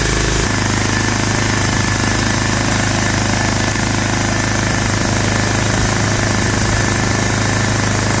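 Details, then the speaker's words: Toro Wheel Horse 265 tractor engine at full throttle after coil and starter checks: loud, choppy, uneven chugging about two pulses a second, running rough; internal trouble is suspected, likely a corroded, stuck valve, not confirmed. "that was really screwed up why did it act that way this thing's got something really wrong with it like there's got to be something internally messed up"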